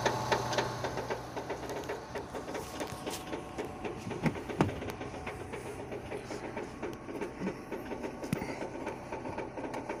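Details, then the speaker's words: 2006 Renault Scenic 2, K4M 1.6 with automatic, 202,000 km, cold idle: uneven light knocking about four taps a second through engine clatter, coming from below; expected to fade as it warms with another sound appearing; cause unknown. "Сейчас она прогревается, сейчас этот звук пропадет, появится другой."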